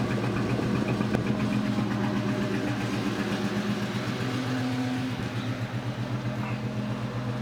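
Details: 2002 Ford Mustang GT V8 idle with an irregular stumble about four times a second after installing a thread insert in cylinder 3; misfire, cause suspected, not confirmed.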